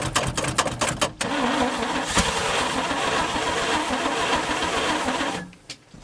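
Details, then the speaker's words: 1971 International 1890 plow truck, abandoned since 2001, after carb rebuild with float bowls filled, fuel line left off: starter grinds in quick uneven bursts, about two a second, engine never fires; not yet pulling fuel, possibly flooded. "hasn't started pulling fuel yet though I was hoping it would by now it'll tell right at that filter if it's pulling fuel"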